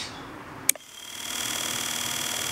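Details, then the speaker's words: Electric wheelchair brushed motor after cleaning commutator and brushes: click then smooth steady high whine, no rattle or scraping, much quieter than before. Normal running. "you could hear that this motor sounded terrible and it's a whole lot more quiet now"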